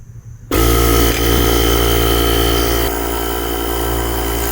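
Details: JomGand JQP2250 jump starter's built-in air compressor pump running while pumping fluid, gauge showing about 6 psi; steady buzzing motor hum with fast piston chatter, settling slightly lower as pressure builds, normal running under light load.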